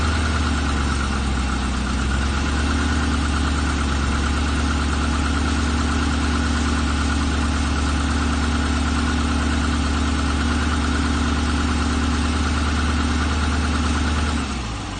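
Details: Chevrolet LS3 V8 at 40,000: cranks, catches and settles into an even idle with a steady light tapping about three times a second; piston slap suspected.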